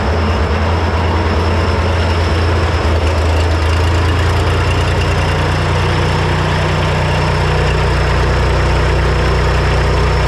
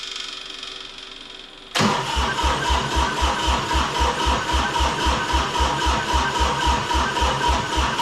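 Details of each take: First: Three-cylinder Kubota diesel repowered into a Melroe 610 skid loader, first fire-up: catches and settles into a steady low idle with even rumble, no misfire or knock; ran once the reversed fuel shutoff solenoid wiring was corrected so fuel reached the injectors. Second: Three-cylinder Kubota diesel repowering a 610 Melroe skid loader, first fire-up. Steady starter cranking, about four compressions a second, never catches. No start because the fuel shutoff solenoid, wired to the toggle switch, pushed its pin against the rack when powered, cutting off the injectors.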